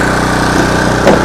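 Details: Budget small power generator, pull-started with choke then choke returned, no sound deadening: steady, even buzzing drone with no misses, knocks or surging; idling normally, louder than the owner's 4,200 W and 2,300 W generators.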